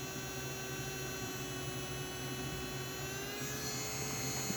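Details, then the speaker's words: Model train smoke fan in idle mode at three volts, track power with no motor: thin steady high whine, spinning far too fast; idle speed trim pot needs turning down. "we have the fan running in idle mode at three volts which is way too fast but all I can show you is the idle speed so I can cut this fan down"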